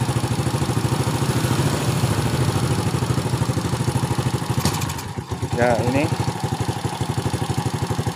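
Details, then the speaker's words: Honda Supra Fit motorcycle: steady putt-putt idle around three beats a second sags and almost dies when throttle opens, then recovers; idles but stalls on throttle, before the spark plug was fitted. "sudah langsung tapi saya di gas ini seperti mau mati ya ini jadi hidupnya langsam tapi di gas mati"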